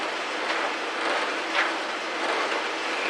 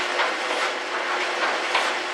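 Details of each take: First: 14-year-old GE electric dryer, model PVXR353EB0WW, running: tumbling roar and rumble with sharp knocks roughly twice a second as the drum turns; previously fixed for squeaking, cause now under investigation. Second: 14-year-old GE electric dryer, model PVXR353EB0WW, after disassembly and reassembly, run with jeans that had caused a loud noise: even whooshing tumble with soft rhythmic thumps and no banging or scraping; working normally.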